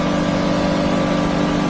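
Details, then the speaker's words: New 2023 Yamaha F300 outboard on a North River 24 Seahawk, throttle brought up past 5,300 and 5,700 rpm toward 6,000: strong steady high-pitched drone without bogging or labouring; normal high-rpm running. "this thing should turn six oh man it doesn't even labor it"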